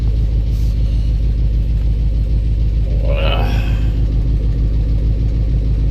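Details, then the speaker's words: 1984 box truck, first start on 15-year-old fuel, jumped, no oil pressure gauge: rough idle with dull, regular knock nearly twice a second, plus known exhaust leak tick; owner suspects cracked or loose flywheel or torque converter, unconfirmed. "it's got a little knocking sound it has an exhaust leak right here so it's gonna have a gonna have a loud tick but uh what I'm hearing doesn't sound like an exhaust leak tick it sounds like something like a flywheel like a cracked flywheel or a loose flywheel or torque converter or something like that"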